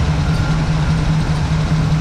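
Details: Chevy square-body crew cab with TBI at idle after a tune-up with new cap and rotor; it had died and would not idle, and replacing the fuel pump fixed it: a steady, even low idle with no stumbling or surging, so the engine idles healthily.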